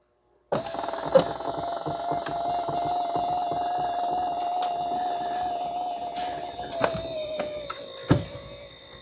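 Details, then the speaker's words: 2011 Ford F150 passenger power seat that won't raise, switch bypassed with jumper wires: click then steady mid-pitched whir for about seven seconds; height motor runs normally, switch confirmed defective and replaced. "so I've got the jumper wires installed so theoretic when I put this ground to this yellow wire the seat should run"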